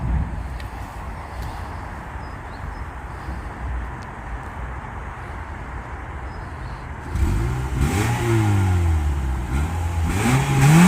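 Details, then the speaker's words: Mazda 6, one owner, 118,000 km, stock exhaust. Steady low idle burble, then clean revs rising and falling smoothly with no rattles or misses; healthy factory exhaust. "Là on vous fait écouter le bruit, bon c'est d'origine, il n'y a pas grand chose. Mais puis voilà, vous verrez ce que ça donne"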